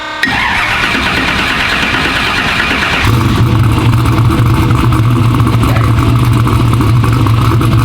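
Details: "Black Sheep" running after service: oil refilled with 4 quarts used plus 4 quarts new. Fires and settles into strong, steady deep rumble with crisp response, no knocking; healthy, snappy, normal running.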